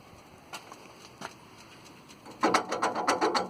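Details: Thomas activity bus A/C compressor drive-belt pulley with a bad bearing: quiet ticking, then loud irregular metallic clatter and rattle as the pulley wobbles; belt keeps coming off.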